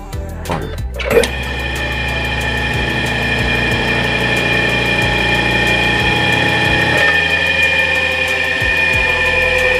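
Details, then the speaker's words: Hard-starting electric motor after repair (new capacitor fitted): now self-starts with a short clunk and settles into a steady, even hum at full speed. Normal. "Okay, ayun may capacitor na. Teka natin. Automatic na siya. Maandar na siya ng busa."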